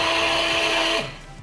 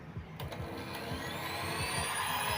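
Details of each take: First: Old Philips hand cake mixer runs with a harsh, raspy hum and slow rotation, then winds down; likely a dry, very dirty bushing causes the roughness. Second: Cake hand mixer (Philips) after repair of rough, growling noise: motor spins up to a clean, steady whine with no grinding or rattle, now smooth and normal.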